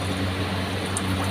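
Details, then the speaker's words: Symphony air cooler after replacing the faulty submersible water pump with a new motor: steady low hum of the main fan motor with an even airy rush, no knocks or rattles; fan and new pump running normally, water flowing. "तो हमारा जो है submersible motor भी काम करना शुरू कर चुका है।"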